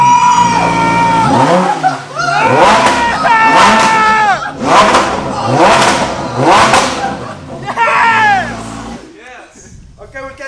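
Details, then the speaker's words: 2018 Lamborghini Huracan Performante Spyder, Copart wreck being rebuilt: V10 revved for the first time since purchase, several sharp throttle stabs rising and falling cleanly, crisp and even; sounds healthy. "yeah so let's throw some cooling in so I can do some more revs because I really want to hear it I haven't heard that yet"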